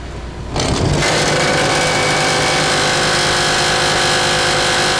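The motor spins up within half a second to a steady, loud, high buzzing whine that holds even with no dropouts: running properly.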